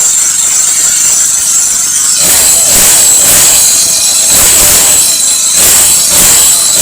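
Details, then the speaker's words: Four-stroke grass trimmer after replacing a broken spark plug, setting valves (intake 0.08, exhaust 0.10 by feeler gauge) and replacing the starter rope; it was hard-starting and wouldn't rev. Now picks up crisply and revs cleanly without knocking; normal running. "อ่ะมาลองสตาร์ทกันเลยครับหลังจากที่เราเปลี่ยนหัวเทียนแล้วก็ปรับตั้งวาล์วแล้วก็ผมได้เปลี่ยนสายสตาร์ทเรียบร้อยแล้ว"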